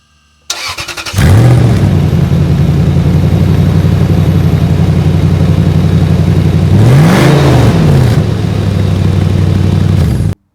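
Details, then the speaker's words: Lexus GX470 at cold start with a rust hole in the exhaust near the muffler after an exhaust hanger arm broke: a loud, raspy, blatting note growing harsher with revs; an exhaust leak, to be patched with JB Weld ExhaustWeld. "so while it does sound pretty gnarly it kind of defeats the whole purpose of me even putting the muffler back on so I'm going to patch it"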